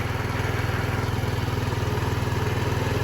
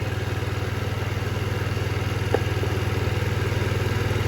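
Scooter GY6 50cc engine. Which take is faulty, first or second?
second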